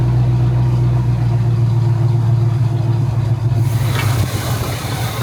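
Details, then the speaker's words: 1971 Pontiac Firebird V8 after distributor conversion from points to an electronic kit (carburetor already done), heard from behind: deep, steady burble at idle, then a brief rev blip that returns cleanly; runs smooth and even. "Let me give you some revs and some idles from behind."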